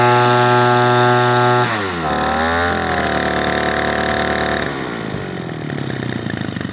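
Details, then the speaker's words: Echo PB-210e two-stroke leaf blower, 25+ years unmaintained, during carburetor high-screw adjustment after spark plug connector repair: full-throttle scream sags and burbles as mixture richens, then settles clean and even; running well. "All right, I feel pretty good about that. That's running really well."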